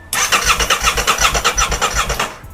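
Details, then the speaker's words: Crash-damaged 2023 Aprilia RS660 under rebuild, cranking with fresh oil but no fuel tank, fuel or coolant: brisk, even cranking at about five pulses per second without firing, cutting off cleanly; healthy starter cranking. "That sounds really healthy. That sounds really, really healthy."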